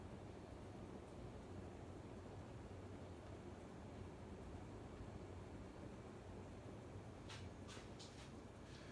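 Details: April 1985 Casablanca Zephyr 52-inch Inteli-Touch ceiling fan, running after its loose, drooping flywheel was tightened on the motor shaft with an Allen key. It gives a soft, steady low hum with a few faint clicks near the end. It runs normally.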